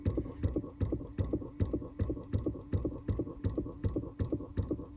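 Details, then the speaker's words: 2018 Chrysler Pacifica, engine off: dull rapid thumping two to three times a second behind the passenger dash; faulty recirculation door actuator flapping, runs about 2–3 minutes before stopping; actuator motor to be replaced. "Again, not normal. And taking a step back, and before I position the camera, it takes about 2 to 3 minutes for that flap to basically run out of power and stop."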